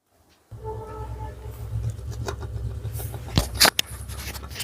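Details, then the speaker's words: Running ceiling fan with a low, rough hum, faint whine and uneven knocks, louder at the blades: a worn bearing seat. "कुछ इस तरह की आवाज़ इसमें आ रही है। और पंखड़ी पे ज़्यादा आवाज़ करता है।"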